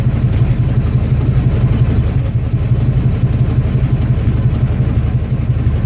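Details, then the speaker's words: 1982 Ford F150, carbureted, glass-pack exhaust into Y-pipe, cold winter start: deep loud burbling, uneven pulsing, slightly lazy response, couple of revs. Owner says it still runs a little rich and carburetor needs adjusting. "I still need to tune the car barrier a little bit because when you started up it's still kind of like it's running a little bit rich so I need to adjust the carburetor again a little bit"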